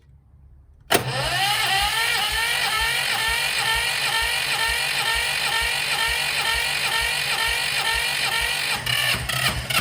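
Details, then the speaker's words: Sykes GP80 water pump with Lister TR1 diesel engine, auction buy, first start after starter repair: catches almost at once after a short crank, then settles into a steady, even diesel run with no knocks; healthy start and idle. "okay so that was amazing it runs uh I'm over the moon"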